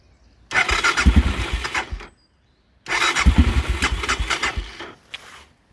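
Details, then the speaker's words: Aprilia motorcycle, first start after engine install with 50/50 coolant refilled: two short bursts of uneven firing that stumble and die within seconds, won't keep running; hesitant starting, owner suspects carburetors not yet filled with fuel. "It's a little hesitant, but it's probably just that the carburetors needs to be kind of full fill up."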